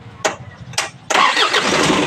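A couple of cranking bursts, then the diesel catches at about one second and settles into a steady, even run: starts and idles normally.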